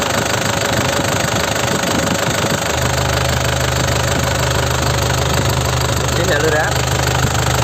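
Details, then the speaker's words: 2008 Isuzu Panther LM Smart Turbo diesel, manual: steady low diesel clatter settling into an even idle with no misses, knocks or hunting; oil clean, no smoke, no leaks, engine judged healthy. "Insya Allah, mesinnya aman. Suaranya masih bagus, daya cengkeramnya masih bagus, tidak ada kebocoran, kan?"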